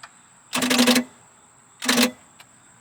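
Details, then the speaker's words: 1986 Larson V175 Seneca ski boat engine: two short whirring starter bursts about a second apart with no catch. The starter spins only briefly; a weak battery or the starter itself is suspected, with a jump from another battery planned. "so it spun over for a second um so spend it over by hand and make sure it's not the motor make sure it's just the starter but uh it might be that this battery doesn't have enough juice too"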